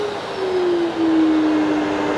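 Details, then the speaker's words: Festool CT 26 dust extractor, variable speed turned all the way down from 3,900 L/min, hand over the inlet: soft rushing of air with a steady tone drifting slightly lower; quiet normal low-speed airflow. "Very soft. I've got my hand over the entrance, making it so you can hear the air."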